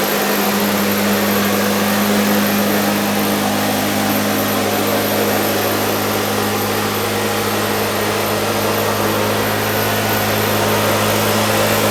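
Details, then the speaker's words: Husqvarna 150BT backpack blower reassembled after a no-start, tested the next day: steady high two-stroke buzz, no misfire or surging, slight smoke from oil residue; normal running. "now i'm going to give it a more in-depth test blow the garage up maybe hit the driveway just do some general cleanup make sure it runs okay"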